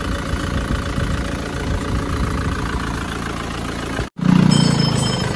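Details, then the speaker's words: Panther pickup diesel after repair of problem that appeared after oil change (gasket sealed): even steady idle with low regular beat, no knocking or puffing, revved; exhaust sounds good, running normally. "coba kita gas-gas suaranya. Sudah mantap knapotnya. Gimana? Sudah mantap."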